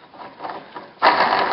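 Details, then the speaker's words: 2001 Ford F250 Super Duty rear two-piece driveshaft carrier bearing, rubber deteriorated and removed, spun by hand: a gritty, rattling grind grows louder with speed; the bearing is bad and is pulled off for replacement. "you can hear how that bearing is screwed you know that's that's bad so we're going to get a puller"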